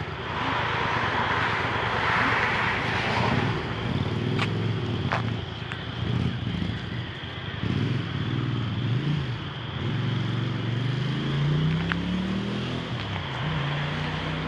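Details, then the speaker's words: 1982 Honda Silver Wing GL500 after coolant leak, intake manifold repair and carb cleaning: steady engine note climbing evenly as the bike rides off over gravel, no knocks or misses. Healthy running. "wow she sounds good too"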